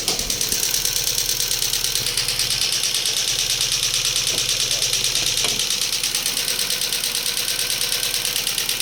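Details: Daewoo Lanos petrol engine idling with a steady sharp ticking about three times a second from the hydraulic lifters. Replacing the lifters changed nothing; a plug fell out of the oil channel, affecting oil pressure to the lifters.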